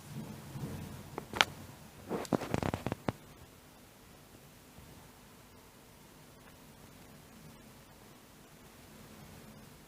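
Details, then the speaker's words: Laptop cooling fan after repair and reassembly, no replacement needed: it runs quietly with only a soft, even airflow hiss and no rattle or grinding; previously it was very noisy. "the fan is not making any noise"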